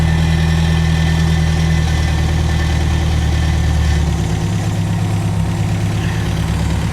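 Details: 1975 MGB that sat 16 years, warming up on its old carburettor with oil pressure just over 50: deep, even idle with a steady low beat, no knocks, ticks or stumbles; exhaust sounds good, normal healthy idle.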